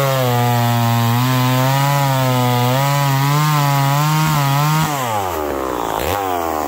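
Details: McCulloch Pro Mac 1010 chainsaw with a freshly sharpened chain. A strong, even buzz holds its pitch through the cut, then eases off as it clears the wood. It pulls cleanly and runs healthy.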